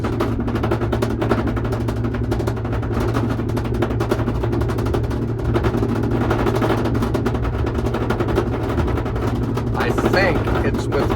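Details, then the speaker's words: Truck driving above 45–50 mph: rapid rattly flutter like gunfire or a flat tire over road and wind noise; upper windshield weatherstrip separated from the glass, believed worsened by an earlier hail storm, flapping in the airflow. "We get up above 45 50 m an hour and this thing starts making this noise."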